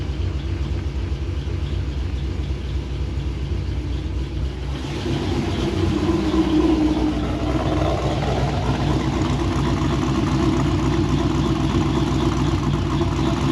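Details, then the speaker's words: Supercharged V8 idling with oil pressure good, a light, fairly regular tick about four per second over the rumble, seeming to come from the top end; rockers checked smooth, owner guesses a lifter closing, cause unconfirmed. "but that noise is making it bother me i think it might be a lifter closing"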